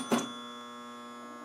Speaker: that is a that's a coil that's locked on um and that's not a good thing you don't usually want a coil stuck on like that